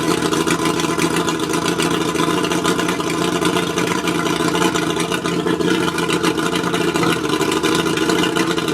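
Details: Mercury 135 outboard idling roughly: steady drone broken by irregular stumbles and uneven beats instead of a smooth run, a misfiring idle. Spark plugs suspected, not confirmed.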